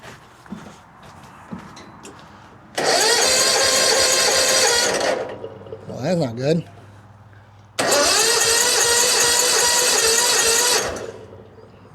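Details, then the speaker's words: 2004 Hustler zero-turn mower, NGK BPR4ES plug out for a spark check, dark plugs: two steady starter cranks of about two and a half seconds each, never firing. Fuel suspected present; no spark found. Crank no start. "Okay, maybe that's not our problem. Maybe we do have fuel and we don't have spark."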